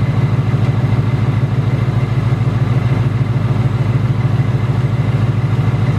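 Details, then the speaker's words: 2018 Ford Mustang GT 5.0 Coyote V8 at idle, tick returned in the last two weeks: steady fast even metallic tick about three per second with light rattle underneath; known BBQ/typewriter tick, source undetermined, not from direct injection per owner. "it's this noise has been around since like the 2011 that Gen one coyote but the whole thing with this is that the 2018 not only does it tick it also rattles so I do have both I have to take and I have the rattle and there isn't no solution for it"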